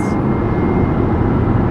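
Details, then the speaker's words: Toyota RAV4 on highway after transmission swap to cure a shudder, now shifting properly on the on-ramp at 68: constant low road rumble, no shudder or surging; drivetrain smooth, car much better. "at 68 so that's that's a lot better than trying to switch into drive 240 miles now that makes a lot more sense"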